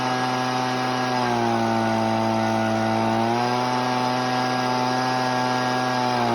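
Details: Husqvarna 125B two-stroke, warm, carburetor needle adjusted a quarter turn: screaming full-throttle note sags and burbles for about two seconds, then climbs back clean; rich mixture causing four-stroking, cleared by leaning.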